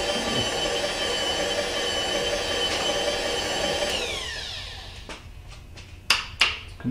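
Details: Bridgeport mill with a newly installed X-axis power feed on its first test: a steady high motor whir with an even gear hum as the table traverses, then it stops and reverses with a few clunks, normal power feed operation.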